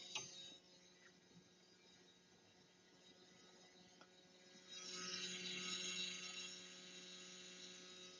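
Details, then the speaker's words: BMW F800 GS ABS pump motor actuated via diagnostic tool during brake bleeding: faint hum, then about two seconds of high, even electric whir that cuts off by itself; pump motor works normally. "Okay, you can hear that it'll cut off by itself. Got it'll be on for a couple of seconds. You can hear the motor running."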